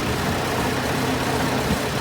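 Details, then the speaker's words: 1913/1914 Detroit-made Princess, first start in about 100 years, clutch freed, driving at moderate speed: steady even engine note, no knocks or misses; owner says engine nice and smooth; normal running. "Oh yeah! How nice and smooth this engine is."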